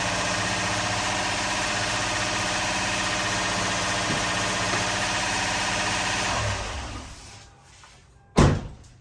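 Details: 2004 Lexus GX470, first start after full teardown and retiming, no coolant yet, uneven compression readings; idles with a slightly uneven, busy tone for several seconds, then shut off; sounded a little funny, smoking, owner suspects old oil burning off; rough idle.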